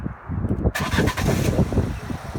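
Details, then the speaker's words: 2016 Fiat 500 crash repair, first start after refitting the belt and refilling coolant, cooling system still needing a bleed: engine catches cleanly and settles into an even, steady idle, the earlier aircon pump noise now completely gone; healthy. "Oh, that's better. The aircon pump's completely stopped now."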